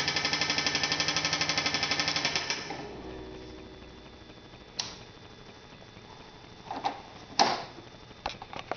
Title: 2000 Polaris Trail Boss 325 w/ bad engine knock